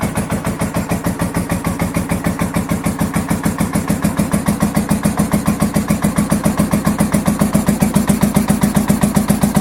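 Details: 1983 Honda VT750 V-twin motorcycle idling on choke just after first start following a top end rebuild and modifications, started with starter fluid: even, loping beat around 220 pulses a minute, steady, no knocks; normal choke idle, oil burning off.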